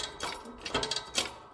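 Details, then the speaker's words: Worn bearing from a Hardi 363 spray pump, turned by hand during a bearing replacement: dry, uneven clicking and ticking of a rough, loose bearing. "Those bearings are stuffed."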